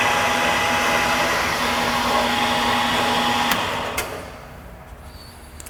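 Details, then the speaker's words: Ranger RL-8500 brake lathe machining a brake drum, feed at about four: steady, even hiss and whir with no rattle or ringing squeal, then winding down; smooth, chatter-free cut. "now you notice you don't hear it chattering or singing when they chatter chatter and sing it's not a good thing"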